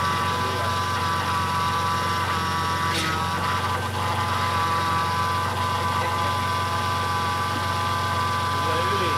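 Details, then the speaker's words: BMW E30 with freshly built M52 turbo engine on first start: constant mid-pitched whine from the power steering pump with air in the ATF, fluid foamy with big bubbles; still whining while being bled. "That's quite funny sound. What it is doing? There is air inside the pump."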